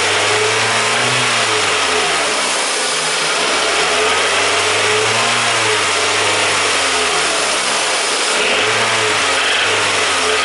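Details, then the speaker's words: Toyota VVT-i petrol engine revved in short bursts: fine at idle, then a light hammering knock creeps in as revs climb. The owner attributes it to engine bearing failure. "Okay, and now I start this engine that we can listen this engine bearing failure sound."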